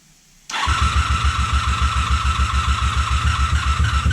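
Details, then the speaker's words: 1987 Honda Super Magna, sat in a field about 10 years, choke broken, carbs fed by pressurized fuel: catches after half a second into lumpy, uneven chuffing at about three to four beats a second. Misfire, not firing on all cylinders. "fire. Oh, it's trying. It's trying. It's definitely not hitting on all cylinders, but uh let's see."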